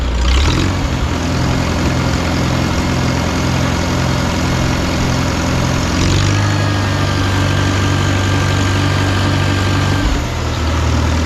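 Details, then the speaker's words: 1952 Farmall Super C tractor after sediment bowl, fuel line, carburetor and ignition work, next-day cold start with no choke: quick catch into steady even idle, no misses or knocks; much better than before. "man that sounds so much better than it did before"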